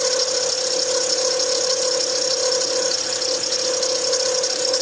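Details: 2007 Acura TL Type S engine running: steady mid-pitched whine with a hissy, chattering rasp on top, from a bad belt tensioner pulley bearing.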